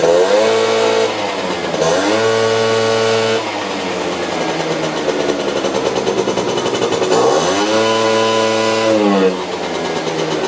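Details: Benzer GT 50 two-stroke scooter revived after 4 years standing with oil in carburetor and crankcase: repeated blips with buzzy, lazy pickup dropping back; running rich, fuel dose still needs adjusting.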